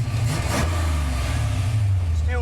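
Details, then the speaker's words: Engine with old Flowmaster exhausts: deep, even rumble as the throttle is blipped, smooth with no knocks or misses; it runs healthy, and the earlier problem was not the distributor. "great still runs great oh would you sounds good too there we go"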